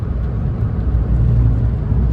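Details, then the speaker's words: 1999 Suzuki Alto Works HA22S turbo in 4th gear on a highway pull, just after the boost leak was fixed by JB-welding the bypass valve back. Deep, steady engine drone under hard load with no flutter or boost hiss; it now pulls hard and healthy. "Now we can officially do a highway pull. Like, this feels like a Alto Works."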